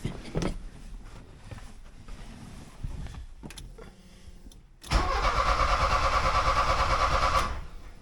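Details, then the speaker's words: 1979 Porsche 924 being restarted after the distributor was apart: several cranking attempts, then the engine catches and runs roughly a few seconds before dying; the distributor was installed one gear off, so ignition timing is wrong and it starts hard. "Yeah, I got the distributor one cog off, so I'll just turn it so it's in the right spot."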